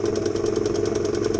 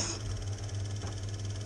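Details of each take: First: 1975 Elna Lotus sewing machine running: a steady motor hum with a rhythmic grunt about eight times a second. Caused by a flat spot on the rubber motor idler wheel; the noise stopped after the fix. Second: 1975 Elna Lotus sewing machine after the flat spot on its motor roller was repaired: a smooth, steady motor hum with no knock or rub. The horrible grunting noise it made before the repair is gone.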